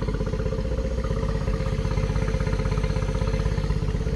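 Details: 2013 Yamaha 9.9 four-stroke outboard on garden-hose flush after rough-running fix: even steady thumping about four beats a second, no stumbles or misses; clean healthy idle now the fuel is sorted.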